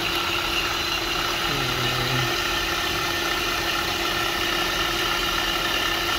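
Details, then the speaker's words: Honda Pilot engine at idle, pulley checked up close with a stethoscope: harsh, constant whirring hiss, ear-piercing; traced to the worn automatic belt tensioner pulley bearing. "That sounds terrible. Ear piercing. Not good. Not good. Not so bad. That's the auto tensioner right there, bud."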